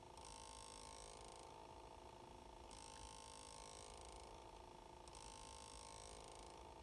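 A quiet, steady mid-pitched hum pulses on and off every couple of seconds after shutdown; the cause is not identified.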